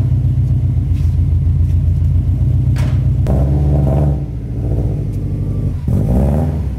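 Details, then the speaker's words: Subaru GC8 2.5RS with WRX turbo swap after exhaust repair, muffler retained: deep, even, quiet exhaust burble at idle with two brief revs, free of rasp or drone. "man it's so much better it's definitely not a car that I wanted to be obnoxiously loud"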